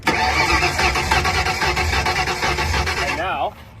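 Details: V8 drag car on the starter, phone near the exhaust on the good side: even, steady exhaust puffs about three a second, normal; the other side hisses from a suspected burnt exhaust valve after a melted plug strap.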